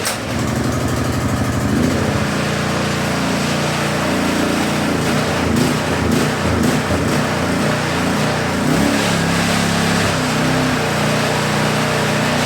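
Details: Small single-cylinder DeWalt pressure-washer engine, carburetor cleaned of ethanol gas, run on choke before fitting to a Scotts tiller: fires up with a steady, slightly uneven patter, no knocking or misfire; runs normally.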